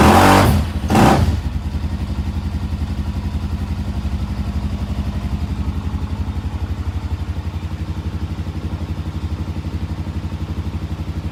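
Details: Suzuki DRZ400 after carburetor cleaning, started indoors: a couple of loud blips then a thumping single-cylinder idle, about four beats a second, slightly uneven, puffing smoke; owner thinks it was running very rich and flooding.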